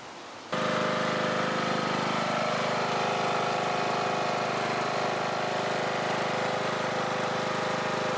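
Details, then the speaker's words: Small engine running on 3D-printed TPU carb, fuel tank and valve cover gaskets with fresh gasoline and new cap: fires and settles into even steady run, no misses; sounds good, though a fuel-tank vacuum issue may only appear when driven. "what will happen is it'll stop giving it fuel because it's not it's not sucking in air behind it but it sounds pretty good to me"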